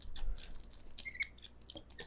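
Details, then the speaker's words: Old worn, corroded combination lock with false gates: scratchy clicks and short squeaks as dials turn stiffly, dragging; squeaky worn combination lock dial. "you can hear how squeaky and everything it is um that yeah it's uh it's just puts up much more of a fight"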